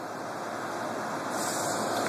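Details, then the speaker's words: Carrier window AC, R22, 8,300 BTU, US-made, well used but well kept; fan-only startup with cover on, soft even airy rush with no rattle, scrape or wobble, really quiet; normal fan operation. "i'll go ahead and do a startup with a fan here really quiet obviously this is blocked so it's not very careful but out here there's great airflow"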